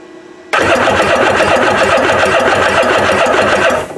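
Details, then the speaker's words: Kawasaki ZXI 1100 jet ski cranking with a spark tester on the plug wire: fast, even starter churning for about three seconds with no firing. No spark, though coil resistances and grounds to the CDI box test good. "no spark right now I've done my tests"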